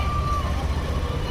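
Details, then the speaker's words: Yamaha Aerox/NMAX scooter on stand after installing ceramic AdPro socket to fix error 12: steady low idle hum with even beat, no knocks, rattles or squeals; working again; a separate noise complaint is suspected to be the CVT. "Ayan, okay na. Gumagana na ulit."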